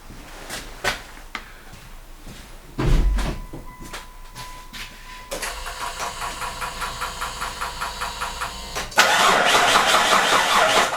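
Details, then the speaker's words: Mitsubishi Pajero 3 GDI right after replacing the high-pressure fuel pump (ТНВД) filter: steady starter crank pulsing about three times a second for several seconds, engine never catches; cranks, no start. "Поменял фильтрик ТНВД. Машина не запускается."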